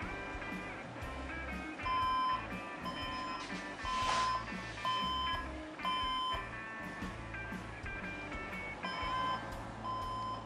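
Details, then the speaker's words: Desktop PC that powers on with no display, red light and three beeps: plain high beeps repeating about once a second; burned power supply or motherboard suspected, not confirmed. "cuando una computadora no enciende y tiene esos tres pitidos y la señal de luz roja quiere decir que no hay algo que no está funcionando bien"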